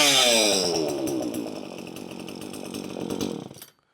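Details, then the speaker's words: Poulan 2500 Farmhand chainsaw after restoration, oil flowing, on-off switch wired backwards (normally closed); high, buzzy two-stroke whine climbing and sagging with throttle before cutting out; saw runs as it should. "But now it's running, so now let's go and put it all together and put it in the wood and see how she cuts."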